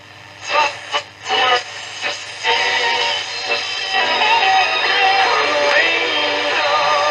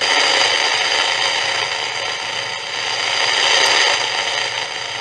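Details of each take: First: Philips 206A valve radio (early 1940s, Dutch-built, Australian version), after sympathetic restoration work including side-contact valve fixes and a 10 µF capacitor fitted on a loose lead: music comes through clean and steady on medium wave, no hum, crackle or fading; normal reception. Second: 1940s Philips 206A valve radio under restoration: only a steady hum, hiss and static from the speaker, no station coming through; tracing suggests a tuning problem, a weak amplifier and possibly a non-working oscillator.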